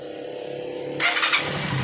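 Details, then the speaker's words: Honda TMX 125 motorcycle, spark plug, ignition coil and CDI already replaced, after carburetor cleaning: starts first try and settles to clean steady idle, no misfire, stalling or popping; normal start and idle. "tanggal po yung ah pagkapal niya yan kanina hindi mo mabitawan ung gas kapag gagas mo naman namamalas siya tapos pag binitawan mo ung silinyador namamatay y diretso na siya ngayon"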